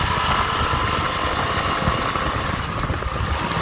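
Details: 2019 Suzuki V-Strom DL650 motorcycle at high revs, around 6,000 rpm and about 51 mph, with a dense buzzy rattle over the exhaust note; cause unknown.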